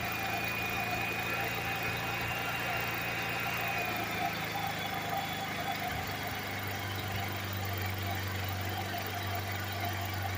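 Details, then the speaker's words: Generator engine running on a wood-gasifier kit fed 100% wood chips: an even hum whose pitch sags midway, then holds lower. RPM drops as the shop battery bank takes a charging load of about 54 V at 20 A, roughly 1000 W. "okay and I already heard that the RPM rolled down like that that's the battery Bank in the shop uh applying a loads of the battery so we're charging at about 54 volts at 20 amps it's roughly a thousand Watts"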